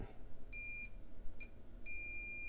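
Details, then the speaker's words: PS5 console that failed during a storm, suspected lightning damage: multimeter diode-check beeps, a short one then a longer one, on tiny bypass capacitors on the 0.9 or 1.8 V rails near the HDMI encoder, showing a short. "I'm going be checking on some of these little tiny capacitors on the different rails wow okay that's pretty short"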